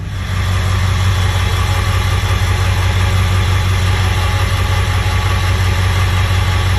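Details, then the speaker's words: 7.3 Powerstroke diesel idling right after a cold start, the first cold start in about a year and a half of ownership, once injector shims and a starter were installed: steady, even clatter with a deep constant drone, no misses or hunting. "Usually this thing smokes pretty good. Shims really help overall. Nice solid idle too."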